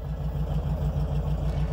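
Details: VW Beetle (vocho), air-cooled, after cleaning and rewiring of its no-start fault, suspected ignition switch: steady, even low idle with a regular firing pulse and no stumble or dropout, idling normally.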